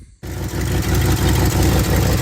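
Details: 1967 Ford Galaxie 500, restored mid-2000s and sitting unused since 2008, idles with a lumpy, uneven, wavering low pulse after revival; rough idle expected after long storage.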